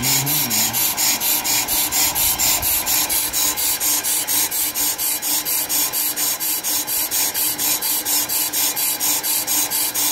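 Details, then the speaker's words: Pro-Cut PFM 9.2 on-car lathe resurfacing a brake rotor: a high, dry scraping rises and falls about twice a second over a rotor high spot. The cut sounds inconsistent, possibly because the rotor was lined up differently. "Well, it could have been because we turned it and might have potentially had it lined up in a different spot, but it does sound inconsistent."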